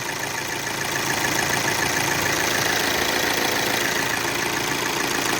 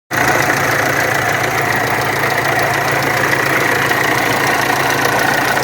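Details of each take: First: VW Amarok turbo diesel, automatic, after correcting camshaft and high-pressure pump timing and replacing the timing belt: even, steady diesel clatter at idle with no knocks, squeals or misses; no more leak. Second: VW Amarok turbo diesel at idle: harsh, uneven clatter with a constant rough drone; camshaft pulley and high-pressure pump timing were out, water pump bearing has play and leaks coolant.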